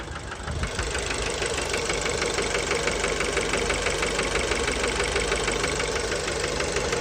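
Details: Fiat Bravo 2 1.4 T-Jet 150 HP at 215,000 km, after recent maintenance, close to engine: steady sharp knock locked to idle over an even hum; worn rod bearings confirmed, car scrapped, cause unknown; rod knock.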